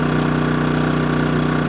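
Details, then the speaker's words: Kings 2kVA generator (rated 1.7 kW continuous) switched to economy mode while running the caravan air conditioner at 16°C: revs drop and it hums at a steady, lower speed with no hunting. Normal running at reduced speed. "I thought I'm just going to put it on economy mode and like it's dropped down revs even further so"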